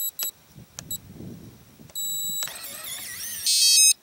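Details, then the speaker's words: RV keyless entry door handle keypad with its piezo speaker opening covered by a circle of Gorilla Tape; short, high, thin beeps now much quieter and subdued, could be muffled further with silicone rubber in the hole. "that's a lot a lot better a lot more subdued I think I could even get it more subdued than that if I was to take it apart and maybe throw some silicone rubber into that hole"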